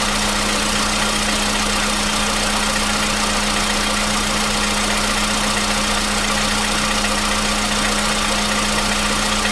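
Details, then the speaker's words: 2015 VW Polo Sedan (CFNA petrol), 76,000 km, cold start with new battery: smooth steady cold idle, even hum, no knock or tapping; the long-standing cold-start knock has suddenly gone. "Вот так, проехав 76 тысяч, двигатель внезапно перестал стучать."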